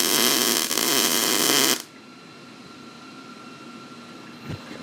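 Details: Beginner MIG welding on the stripped bare frame of a 1988 Chevy Silverado, wire speed and heat turned down: a steady, fine crackling sizzle for about two seconds, then the arc stops; a normal weld.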